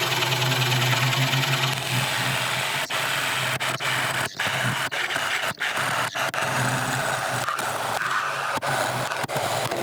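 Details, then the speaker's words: McNaughton coring system used for the first time on a large natural-edge elm bowl on the lathe: harsh scraping cut with sudden catches and dropouts as the blade is forced and binds in the wood. "right I know this sounds awful but I'm determined to get this through"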